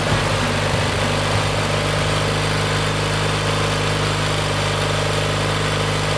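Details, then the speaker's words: Kohler Magnum 20 engine with a rebuilt carburetor, hard to start: it needs a shot of carburetor spray to catch, then settles into a steady low thumping idle with an even drone. The owner suspects a weak fuel pump that probably needs replacing. "sometimes you got to give it a little help just to get her to lick off that fuel pump's probably weak i'm probably going to have to replace it"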